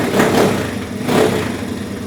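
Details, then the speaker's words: 1983 Honda ATC 70 small single-cylinder engine after clutch adjustment, revving up and settling back with a harsh, loud exhaust bark at every throttle blip; exhaust is loud, cause not stated. "as you can hear the exhaust is pretty loud on her"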